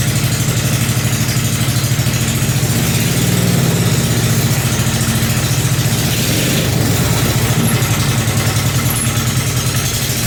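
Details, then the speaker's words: Briggs 5hp engine on a homemade mini bike with a shop-built exhaust, first start-up: steady, even single-cylinder thumping at smooth idle with a light rev, running cleanly; sounds good. "This thing sounds good."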